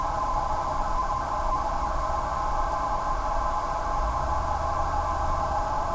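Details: Corsair GS600 power supply: steady hollow hooting tone of several stacked pitches over faint hum, unwavering; abnormal PSU whine, also reproduced by the replacement unit, which later failed after about three months.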